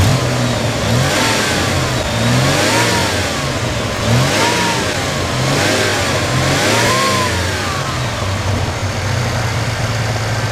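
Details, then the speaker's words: 1991 Chevy S10 Tahoe after a new starter and a cap-and-rotor change, running well for five days: repeated smooth throttle blips with revs rising and falling cleanly and no knocks or stumbles. The engine sounds healthy. "It runs great, so we're going to hook the camera up here and start this thing up, and that will be our closing video for this."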